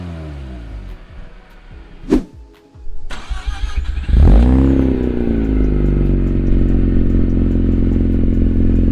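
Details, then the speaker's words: Mazda RX8 rotary, cold start with newly installed Megan Racing exhaust: cranks, catches, flares to a loud rev, then settles to steady, even high idle with no misses; normal cold start. "We're gonna jack it down and start it up. It's gonna be a cold start, so you'll hear it."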